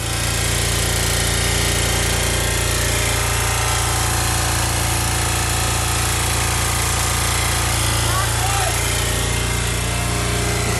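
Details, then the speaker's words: Revived bus engine, overfilled with oil, running very rough with coarse uneven chugging over a low drone and a harsh rattly edge; heavy smoke, seemingly on four cylinders, owners think the engine is ruined. "yeah hey that's four that was four cylinders there that was four cylinders I think the engine's ruined yeah I think it's ruined too there's a lot of smoke coming out"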